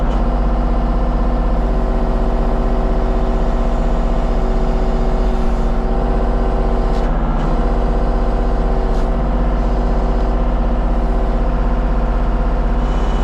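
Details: Kubota KX033-4 excavator, function check after 1000-hour service, outdoors on gravel, cold day: steady even diesel drone, regular low beat, no knocks or misses; normal running.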